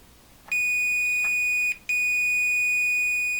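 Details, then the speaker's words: Ms. Pac-Man Cabaret arcade board: multimeter on continuity gives two long steady high beeps on the cut input pin of a 74LS367 buffer, still shorted to ground through the failed chip input; chip removed. "the input pin on that chip went bad and that's what's shorting it to ground"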